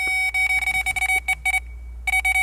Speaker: See how it's beeping? I'm going to put it on low. See how it's beeping very slow? It's getting the right signal.